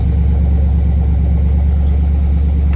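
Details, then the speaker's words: Buick 455 V8 in a Wildcat, running after it self-destructed and was repaired: deep, steady idle, oil pressure 70-80, no smoke, no knocks or misses; sounds much healthier. "Now, what are we holding for oil pressure? 70 something. Almost 80. That's good. I like that. This sounds way healthier. No smoke. Really nice."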